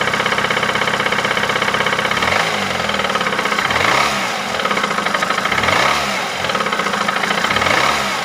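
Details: 2008 Ford Mondeo 4 with a 2.3 L engine at 203,000 km. A sharp, regular knock at idle that rises and falls with each throttle blip: an engine knock of unknown cause.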